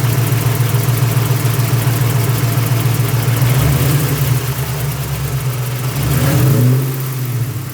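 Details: 1999 Mustang GT, built 4.6 4V V8, new drivetrain under 60 miles (McLeod RXT twin-disc clutch, aluminum flywheel, T-56 Magnum, long-tube headers): light rapid clicking rattle at idle, 3–4 per second; owner suspects clutch or worse, cause undetermined.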